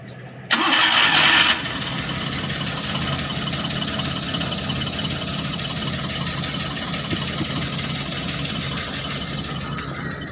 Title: Suzuki f6a misfire replace sparkplug high tension wire and adjust valve clearance